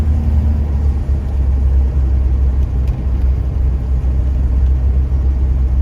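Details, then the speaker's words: 1975 Jaguar XJ6 after cylinder head rebuild and engine flush/oil change, on first test drive up to about 60–70 km/h, not floored; steady deep, smooth pull with no knocks or misses over road rumble; healthy under load. "engine sounds good it's pulled strong i didn't you know floor or anything like that even close up but i went up to about you know 60 70 kilometers"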